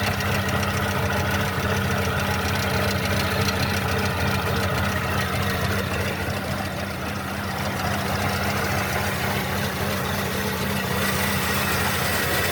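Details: Mercedes-Benz M271 1.8 CGI Kompressor engine at steady idle: deep drone with a quick, fairly regular knocking rattle on top; abnormal engine noise, cause not stated.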